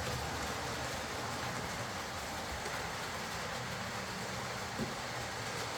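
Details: Old Lima Class 40 model locomotive in BR green, originally dead with front bogie issues, now on a completely replaced motorised chassis; even, steady hiss and soft rail clatter, no surges, knocks or whine, pulling smoothly and quietly.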